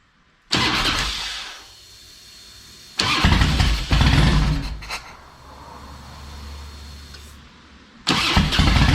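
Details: Harley Electra Glide owned almost five years, after new spark plugs and a cleaned air filter: cranks and catches, a couple of throttle blips, then a steady, even V-twin idle, running better; normal idle.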